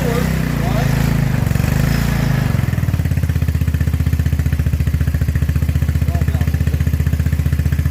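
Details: Maxxam 150cc buggy, non-runner project, after swapping in an old working AC CDI box (two others bad): after a rough start the single cylinder settles into a steady, even putter of about four beats a second; running normally.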